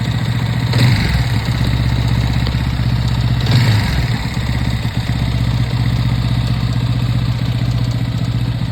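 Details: TVS Apache 200 BS6 single-cylinder motorcycle at idle: steady beat with a dry clattery rattle over it; abnormal engine noise, source not pinned down.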